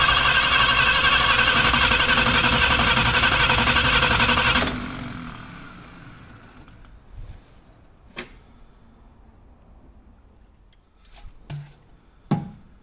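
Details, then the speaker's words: 1951 Chevrolet Fleetline project engine, first start attempt with petrol poured in: hard chuffing about four a second with sharp pops sneezing back through the carb, then dies; plug leads were in the wrong firing order. "What I've done, I've just confirmed the firing order because it was sneezing back through the carb and the firing order was wrong. Someone put all the plug leads on the wrong way around."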